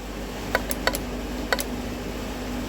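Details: EVAP vent solenoid replacement for code P0449, drawing about 0.59 A: three sharp crisp clicks over a faint room hum as the valve snaps open and shut; new solenoid working normally, old one was dead.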